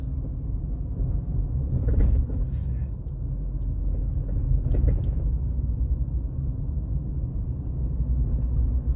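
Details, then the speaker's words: 2013 Honda Civic rolling over bumps with low road rumble and sharp popping/tapping knocks from the front suspension, caused by a bad front stabilizer bar link. "should be able to hear that tapping sound imma show you guys what's making that noise I think this problem is with all the with all the Honda Civics with the masterson front suspension setup the the thing there is a design flaw with with the stabilizer bar link"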